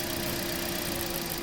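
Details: 2016 Toyota Corolla 1.6, over 100,000 km, unknown history, codes P1603, P1604, P1605: rough, uneven idle with lumpy, stumbling beat over engine hum; misfire attributed to a failing ignition coil dropping cylinders.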